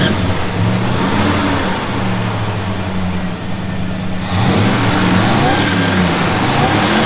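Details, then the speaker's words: Ford 302 V8 after a very rough tune, idling better than before; owner suspects the distributor cap no longer walks, so it no longer backfires. It settles into a steady, lumpy idle with a brief blip, no popping or stumbling: normal idle. "Sounds better. Idle's better than it did. Fucking sounds nice. It's idling a lot better, so I suspect that the cap is no longer walking, so it's not backfiring like it used to."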